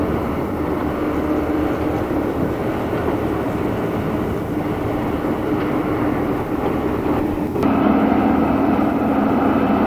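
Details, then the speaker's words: Real BR Class 74 electro-diesel, 1977 recording on electric power: loud steady mechanical drone with constant tone, growing louder; booster set making lots of racket. Booster set running normally. "Finally, we hear the loco on electric power. The noise of the booster set is making loads of racket."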